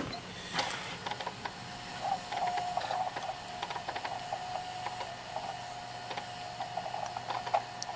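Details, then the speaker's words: JVC VHS-C camcorder after refitting a slipped take-up belt that made it eat tapes, during playback: light irregular ticking and clicking with faint whirr; owner suspects the belt rather than the motor, noise getting quieter with use. "No, it's not really motor noise, it's probably the belt making that noise actually. Yeah, that noise is getting quieter the more I use it, so I'm just going to keep using it and that noise should actually go away."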